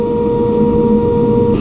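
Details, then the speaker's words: Aerco Benchmark 2.0 high-efficiency boiler at 133°F against 189°F set point, relay bypassed to force a call for heat: steady even burner roar with constant hum, no pulsing or popping; burner lit and firing normally. "we hear it coming on hey we have fire"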